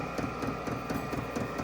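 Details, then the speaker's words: VEVOR 8 kW all-in-one diesel air heater just installed, warming up on highest setting, exhaust just starting to warm; steady fan hum with light even tick about four times a second from the fuel dosing pump. Normal warm-up. "just now starting to warm up on the exhaust just a little bit you can still hear the U fuel pump running as it's uh heating itself up to uh take off"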